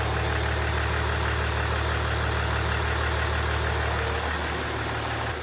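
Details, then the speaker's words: Range Rover Sport diesel just swapped from another vehicle, first start: steady idle with a light even rattle about three times a second; injectors not yet coded with trim values. "Actually runs pretty good considering the injectors are trimmed. Probably hear them rattling a little bit. That's because of the trim codes."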